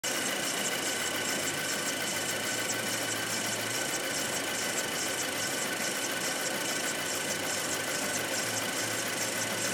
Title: 2.0 TFSI Motorgeräusch